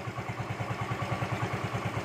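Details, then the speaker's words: Yamaha Mio M3/Mio Z 125 after new piston rings and a valve/camshaft tick repair: even, soft exhaust putter at idle, about eight pulses a second. No top-end ticking and no smoke even when revved; engine quiet. "kawannya mesin full adem yang terdengar hanya suara dari knalpot doang ya suara mesin adem langsam bagus"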